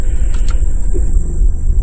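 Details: Dodge Caravan 2.4 after repair, idling with the AC cycling back on: steady low rumble with no thump or whine as the compressor clutch engages normally; a loose AC pulley had caused the noise.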